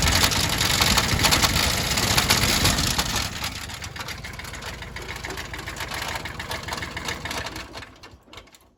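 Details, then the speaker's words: Kubota L3000DT 4WD loader tractor, original diesel with wet, overfull oil: harsh heavy clatter about three knocks per second over rough running; severe internal damage, two bent pushrods on cylinder 2 and damaged exhaust port found. "It's a pretty decent little tractor, but I'll go ahead and give you a little sample of what's wrong with it. I cringe pretty much every time I hear this thing run."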